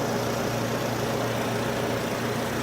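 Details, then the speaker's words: 2008 Nissan Versa at idle, formerly very quiet, fluids checked fine: loud exaggerated purr with faint steady whine, fan-related ticking also noted; owner suspects alternator or a pulley, source unconfirmed. "It sounds like it might be the alternator. Oh, that's why. It's a pulley, I think."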